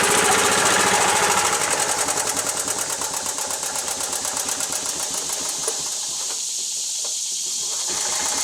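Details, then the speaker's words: Club Car Carryall small petrol engine, fuel pump vacuum line plugged off; fast steady patter but speed revs up and back instead of holding even; owner suspects governor linkage out of adjustment; engine surging. "Kind of revs up and back, revs up and back. And I think it has something to do with the governor linkage down here out of adjustment."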